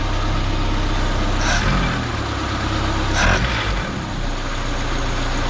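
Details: 1979 Chevy LUV pickup, 1.8L four-cylinder, after ignition timing set to 6 degrees before top dead center: steady low idle rumble with a couple brief bursts of other noise; idles evenly, timing sounds right.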